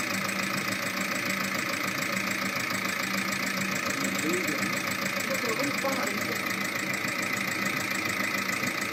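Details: VAG 1.9 TDI 105 hp diesel at idle: light, fast tapping about three to four a second over the clatter, from a defective hydraulic lifter.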